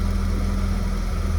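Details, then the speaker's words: 2003 Porsche Boxster base (tiptronic), flood-salvage car bought non-running, fitted with an 03 Boxster S computer and immobilizer; first start, steady smooth low idle with even beat, no knocks or misses, sounds beautiful — normal idle. "Wow. Listen to it. Wow. Holy smokes. It sounds beautiful."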